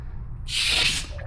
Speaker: One way to speed that up is take this, put your hand over this and push down, which forces air.